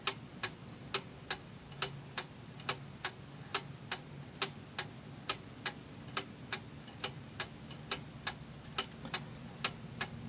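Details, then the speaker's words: Antique Seikosha pendulum wall clock after reassembly, crutch wire bent slightly: crisp ticks a little over one per second with faint unevenness between tick and tock; close to beat but not quite even. "See, I'm not sure if that's in beat or out of beat. It's close."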